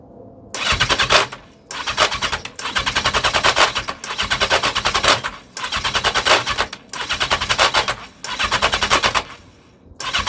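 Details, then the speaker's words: 1982 Yamaha XJ750 that won't start, even with starting fluid, filters fitted: repeated cranking bursts, each a fast harsh ratcheting clatter, never fires; owner suspects the starter clutch. "hear that rattle that's the um starter clutch"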